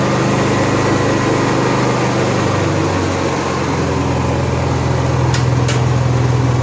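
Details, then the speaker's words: Honda EXW171S welder generator, sat in a barn over 5 years, bought at a farm sale; run indoors after warming up on choke, then throttle. Loud, steady, even engine drone with no misses, knocks or surging; it runs fine. "I know it's weird building this on a cell myself and you run a generator inside it's real quiet we warmed up in the choke code throttle mode"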